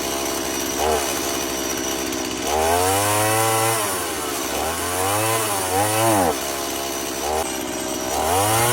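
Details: STIHL MS170 chainsaw, bogging and dying in heat, after carburetor disassembly and cleaning: the two-stroke buzz climbs and sags unevenly every few seconds instead of holding steady revs. A spring-loaded carburetor lever was later found bent downward.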